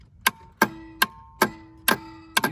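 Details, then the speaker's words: 1999 Four Winds motorhome with batteries draining and slide faults: sharp clicks about every 0.4 seconds with faint hum between, at the front; owner suspects the coach chassis solenoid chattering, not confirmed. "hear the clicking which i believe is this chest or this coach chassis solenoid"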